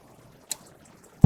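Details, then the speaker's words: RV propane water heater lighting normally: igniter clicks through several tries, then a soft whoomp as the burner catches and rumbles. Slow lighting is blamed on air in the lines after new or refilled propane tanks. "you'd turn your propane button on and you can hear it clicking. And it's trying to light. So as you noticed, it tried to light 3 times. It's going to try it again."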